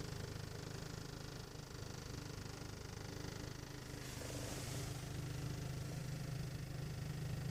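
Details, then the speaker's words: 1.8 TSI at cold idle, heard only inside the cabin, not outside or in the engine bay: low droning idle with dull thudding vibration about three pulses a second that stops with slight throttle and disappears once warm; no fault codes. "вибрация слышно особо четко об салоне если дать газку немножечко тулы вибрация пропадает"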